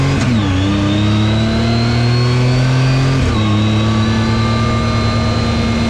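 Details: 2019 Yamaha YXZ1000R SS side-by-side, 5-speed paddle-shift gearbox, neighborhood drive: whine climbs with revs, drops at a quick paddle shift just past three seconds, then rises again; normal gearbox whine.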